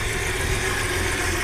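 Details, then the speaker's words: Audi 100 C4 2.8 petrol V6, after fixing misfire, hard starting and stalling, coolant system bled: steady even idle, no knocks or stray noises; exhaust rattle noted. "так друзі як бачимо гарно чітко працює пропали сторонні шуми двигун працює гарно"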